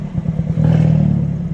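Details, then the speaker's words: Hyundai Elantra N at idle: the idle breaks up with soft, irregular pops and hiccups before settling into a rougher hum, and the exhaust tone is not normal. Timing advances about 5° on soft pops and 10° on louder pops; idle stumble. "No, but even the exhaust tone doesn't sound the same as normal. It's different. Like that noise? Yeah. It's not normal."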